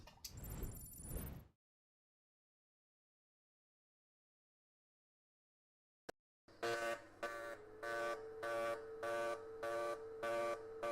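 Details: TIG welding on AC/DC mix setting, factory settings except user-set waveform, frequency and balance, audio sounding boomy: after a pause the arc buzz pulses evenly about 100 times a minute, tone switching between AC and DC; normal.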